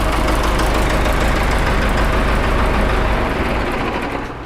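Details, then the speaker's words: John Deere 455E track loader diesel after rebuild, ran 30–45 minutes then started missing: rough lumpy idle, uneven knock about three to four a second; injector lines barely squirt, owner suspects worn original injection pump failing to crack injectors; no blow-by. "it run fine for half an hour 45 minutes or so started missing out but confident motor's still fine there's no blow by to it um like say it's just not getting enough pressure to crack those injectors open"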